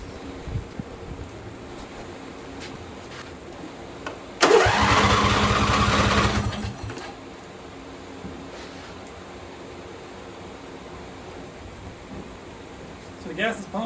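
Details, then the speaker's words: John Deere V-twin on a mud mower build, with fuel poured in the intake: a couple of seconds of cranking, catches briefly, then quits. The engine harness was left unplugged, so the carburetor fuel shutoff solenoid stayed closed. "while doing this a light bulb came on I didn't plug in the engine harness"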